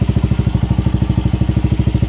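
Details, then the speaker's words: Single-cylinder motorcycle after a new stator coil was fitted (the old pulser gave an erratic supply, causing cutting out and backfire on revving): steady thumps at about eleven per second, evenly spaced with no pops or misses; now idles smoothly. "Pero ngayon mga idol mapinggan ninyo dito niyo maano yung talagang kisyon na yung ah inyong motor, kuryente, timing at saka yung sa gas."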